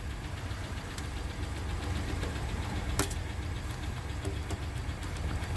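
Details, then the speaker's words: 2016 Ford F-150, about 20,733 miles, check engine light and runs rough, at the tailpipe during dollar-bill test: uneven, lumpy idle with loose irregular tap under exhaust rumble; misfire with engine tick. "we can verify that if the dollar bill wouldn't quit curling up on me here that the engine is running with a misfire you can also see some vibration up here at the instant-read we can also hear a tick in the engine"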